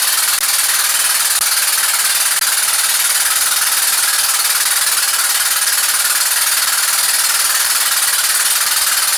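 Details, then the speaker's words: Rescued engine rebuilt with donated parts, timing correct, 40 psi oil pressure: hard fast hammering knock about four a second; heavy knock at number one cylinder, previously damaged, suspected wrist pin, not confirmed. "Got oil pressure, got 40 pounds of oil pressure with a knock like that. But I think that it's going to be the wrist pin."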